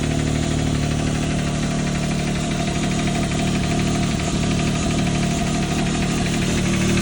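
Loud idle with a quick, rather uneven tick, around three a second, riding over the engine's drone; source not pinned down.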